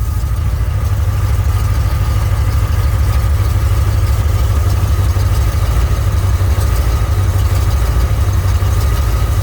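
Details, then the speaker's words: 1967 Mercury Cougar after repairing broken power steering ram assist bracket: steady, even idle with no whine or groan as the wheel is swung left and right; power steering working normally. "Okay, go to the right. That sounds good right there, see?"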